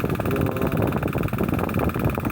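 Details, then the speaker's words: Old KDK stand fan, after new capacitor and bushing: steady fan drone with fast, regular ticking rattle over motor hum; oscillation gearbox gear worn down inside so it cannot swing, fix is gearbox repair or replacement. "ito yung gearbox ito ngayon pudpod na yung gear nito sa loob kaya tingnan niyo p Binuksan ko Ayan oh hindi siya makaikot kasi tudtod na yung [Palakpakan] gear"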